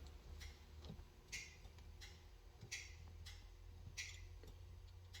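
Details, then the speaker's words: 1985 Chevy C10 LS swap with Turbo 400 transmission and newly fitted drive-by-wire pedal, engine off: crisp light clicks in pairs as the pedal goes to full throttle and back; the kickdown solenoid engages and releases properly. "Kicks in here, and there's full throttle. Kicks out, in, out, out, full throttle."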